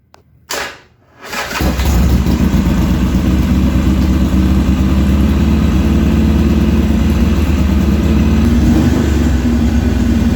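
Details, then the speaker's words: Harley-Davidson XR1200 after idle trim reset: starts and hangs at a fast steady idle over 2,000 rpm, 98 IAC steps, not dropping until throttle blipped; throttle position sensor suspected bad. "and as you just heard that fixed absolutely nothing went right up to over 2,000 RPMs 98 steps on there and would not come down till I blipped the throttle"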